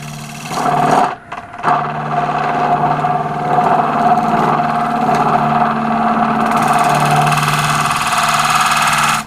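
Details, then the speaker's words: Wood lathe at 1100 rpm, lighter cut with a square-style radius tool on a thin oak and resin platter: steady motor hum, constant mid tone, even cutting hiss; hardly any chatter left, since the lighter cut stops the flexing. "it's taken away some of that chatter and i'm also making a lighter cut so the lighter cut puts less pressure on and stops the flexing"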